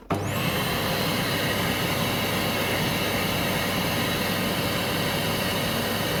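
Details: Vacuum cleaner after replacing the plug on a cable broken internally: steady even motor hum with constant high whine, no cutting out or sputtering, running normally.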